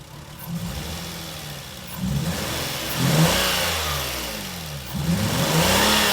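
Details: Lexus IS200 losing coolant after overheating, codes P0300 P0301 P0302 P2248, revved repeatedly: each rev rough and uneven from misfire on cylinders 1 and 2 after cylinder 3 coil replaced; failed sniff test, head gasket likely failed.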